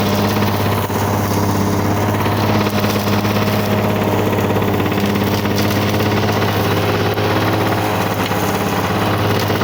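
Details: 1985 Lawn Boy 7350 two-stroke mower, revived after years outside, cutting heavy weeds on aftermarket wheels; steady, even burble holding under load, no misses; owner says real good running but may adjust RPM.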